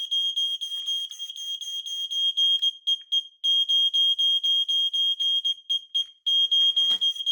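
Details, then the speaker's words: New EI 2110 multisensor fire alarm on a radio-link base, set off by smoke and tested with an EI 410 remote: piercing high beeps, about four a second, very loud. Smoke alarm sounding properly. "Oh, that was loud as hell. That was loud. Very, very loud."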